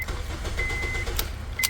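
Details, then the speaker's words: 2007 Honda Civic (8th gen) with key ignition, after replacing the ignition switch to cure an intermittent no-start with start-cut relay buzzing: key clicks, short chime, engine catches and runs with no relay buzz; normal start. "seems we have cured the problem with the ignition switch"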